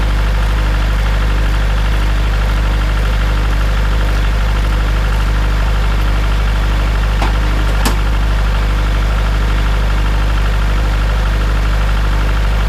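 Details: Farmall Super M tractor engine, before the rebuild: steady low idle with a regular knock of about four a second; cause of the knock not yet known.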